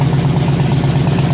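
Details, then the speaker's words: 2001 Harley-Davidson Road King V-twin, warmed up after new plugs, air filter and electrical work: steady, even low lope with no misses, pops or backfires, where before it wouldn't idle and backfired; stage two cam fitted. Normal idle. "I already let her warm up sounds good all right so thankfully she runs good"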